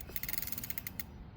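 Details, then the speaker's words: Hyper Radster e-bike, out of the box: light metallic tick repeating quickly as wheel spins freely and slowing as it coasts; disc brake caliper rubbing the rotor, to be adjusted with the supplied key. "yeah basically what's happening is the brake caliper is rubbing um and because these are disc brakes you just have to adjust them uh with this add-on key so hopefully that fixes it"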